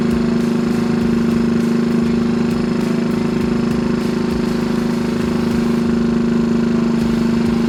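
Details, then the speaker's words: 1964 Honda Super Cub CA102 first run after full top-end rebuild, throttle held slightly open: steady, even single-cylinder putter at fast idle, no knocks or misses; running cleanly. "what do you know that sucker sounds good doesn't it drop that idle down just a minute"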